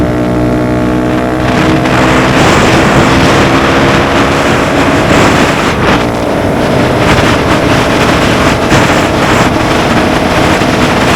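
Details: Honda Grom riding after DHM S1 camshaft install with aftermarket exhaust: single revs up briskly then holds speed under heavy wind rush, even pull, no knocks or misses; reaches speed quicker, holds the 60s stronger; normal running.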